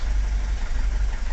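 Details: Vauxhall Vivaro diesel van that would not start after a clutch replacement (oil pressure fault, no engine ECU communication), now idling after a temporary fix to the engine ECU power supply: an even diesel thrum with no knock or hunting.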